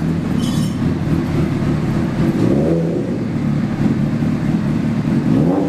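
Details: 2003 Honda CBR600RR fitted with a 2006 replacement engine (2,300 miles) after a spun rod bearing, plus Power Commander and K&N air filter; first start-up on a cold night, idling then blipped, revs rise and fall cleanly with no knock or rattle; healthy.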